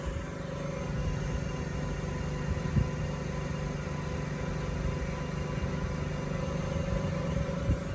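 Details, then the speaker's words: 2019 Honda Clarity hybrid on jack stands, wheel spinning free: deep steady droning hum with no clicks, a loud low rumble like an exhaust that resonates into the cabin; worn wheel bearing. "Wheel bearing is wheel bearing is out. It hums, it's loud, it sounds like an exhaust."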